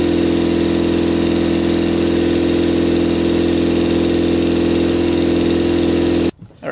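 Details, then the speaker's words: Custom Yamaha Banshee quad with a 600cc sport bike engine, all plugs showing spark: lumpy, uneven, hollow idle with only the two outer cylinders running; plans to check the carburetors, boots and pod filters. "like only two cylinders are running the two outer cylinders are running so i think we should take off the carburetors and just go through them"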